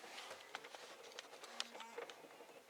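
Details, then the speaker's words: 2008 Honda Odyssey with the key out: faint whirring and soft clicks as the CD changer cycles after a connector is plugged back in. The key-on accessory circuit stays powered, back-fed through connector T6's green pin to fuse 30. "you can hear the CD changer going. So I know that that green pin on T6 has power on it,"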